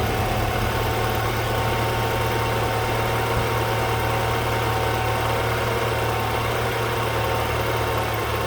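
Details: BMW N20/N26 four-cylinder idling after a throttle body replacement, done to cure a noise the owner suspected came from the old throttle body: smooth, steady idle with an even low hum, no ticks, knocks or hunting; running healthy.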